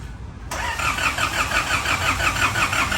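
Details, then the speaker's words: 2005 Isuzu D-Max diesel towed to the shop with a no-start: starter churns evenly, about three beats a second, but the engine never fires. "เครื่องยนต์สตาร์ทไม่ติดนะครับใส่รถลากลากมาที่อู่เลยนะสตาร์ทไม่ติดนะครับ"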